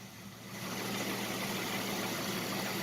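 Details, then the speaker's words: 1967 Ford Mustang first run with new American Autowire harness: steady, even idle settles in with no misses or knocks, confirming ignition and neutral safety switch are good. "she's running. It means the ignition part is all good. It means the neutral safety switch is all good. So, yay. I'm happy to get her purring again."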